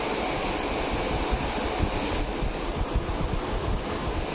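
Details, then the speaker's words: V-Guard Veemagik Neo tower fan that hummed and spun slowly, after repair and reassembly: steady, even air rush with low hum and no rubbing, ticking or wobble; fan spins freely and healthy. "இப்போ on பண்ணி check பண்ணி பார்ப்போம். பாருங்கள், நல்லா சூப்பராக சுற்றுது."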